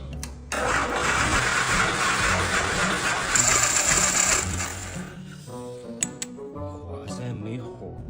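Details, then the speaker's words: 1987 Chang Jiang 750 sidecar motorcycle, boxer engine, sat unused ten years: several seconds of steady cranking with no firing, music over it; sluggish ignition traced to unevenly worn breaker points, later replaced. No-start from faulty breaker points. "接點出了問題。點火系統反應遲緩。就像網路連線不好一樣。"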